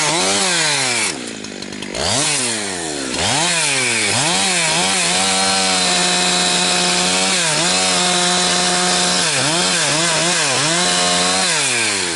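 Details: Husqvarna 362XP Special chainsaw cutting firewood with a wrong ignition coil fitted by a previous owner: in the cut revs climb then chop back repeatedly, "four-stroking" as the coil rev-limits, hunting below full speed and losing chain speed.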